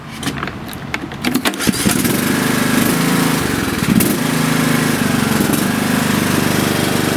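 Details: Troy-Bilt/MTD/Cub Cadet riding mower after deck repair and new belt 754-04060, belt checked tight: engine cranks, catches quickly and settles into a smooth steady run with deck engaged, no knocks or squeals; healthy.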